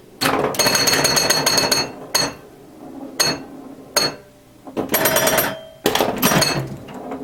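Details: Restored 1977 Williams Hot Tip, Williams' first solid-state pinball machine: bursts of sharp solenoid clacks and ringing chimes separated by short quiet gaps while scoring; normal gameplay.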